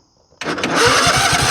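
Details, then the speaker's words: Craftsman GT riding tractor with 20 hp Kohler engine, which stalls under load: after reseating the ignition key plug, the starter spins the engine briskly with a steady even chug of compression strokes, no drag or clicking; normal cranking. "And there we go. So now we got it cranking. Now let's see if it'll start."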